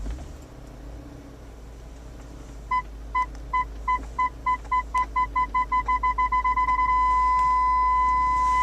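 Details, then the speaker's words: 2000 BMW E39 M5 reversing in garage after rear PDC ultrasonic sensor replacement: short high beeps speeding from about two a second to a solid tone within about a foot of the wall; normal parking sensor warning, sensors working properly. "solid beep means you're within about a foot I went a little bit past that oh yeah and that's that's pretty close there so it looks like the parking sensors are working beautifully"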